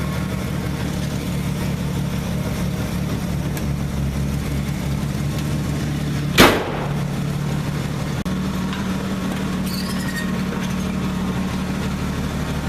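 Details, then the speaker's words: Truck engine now warmed up to temperature: an even, steady low hum idling on its own without throttle, no misses or knocks, running smooth and healthy. "Yeah, she's good and running. Warmed up."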